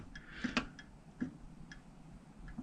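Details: RV oven igniter set to pilot while knob pushed, during fix of pilot that won't stay lit (thermocouple suspected): sharp, quiet ticks at uneven intervals, about five in three seconds, in a quiet room; igniter clicking normally while lighting pilot.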